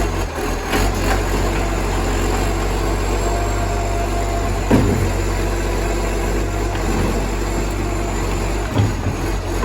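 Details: Moreland garbage truck #FN11487, a spare 22m flat-faced Acco-cab diesel with a massive exhaust leak, recorded from the exhaust side: loud, steady, deep roar with a raw rasp on top, insanely loud.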